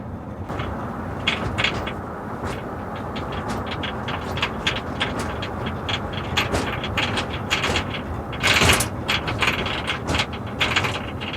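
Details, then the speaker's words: 2004 Ford Expedition, over 190,000 miles: sharp, uneven clicks and rattles as the rear liftgate is pounded, from loose rear glass in a deteriorated, squished weatherstrip; fix is replacing the weatherstrip. "The problem is back here with this lift gate in fact you can even hear it rattle when you pound on it."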